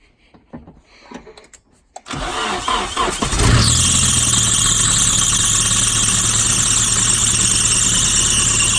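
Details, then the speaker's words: Nissan 240SX after timing chain and tensioner replacement: engine cranks and catches, then a loud steady high squeal over idle, especially on first start; worn belt needs replacing, otherwise engine sounds fine. "yeah we need a new belt but other than that sounds all right"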